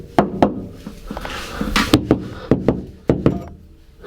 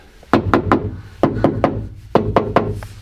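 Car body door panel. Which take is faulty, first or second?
second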